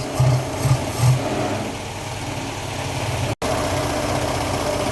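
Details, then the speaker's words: 1953 Austin A40 Somerset with oil-bath air cleaner, before tune-up: rough uneven idle with dull pops back through the carburetor, surging up and down with heavy vibration; popback suggests ignition or fuel problems, not confirmed. "can hear the motors surging up and down as well. And obviously there's a lot of vibration there. That's pretty rough."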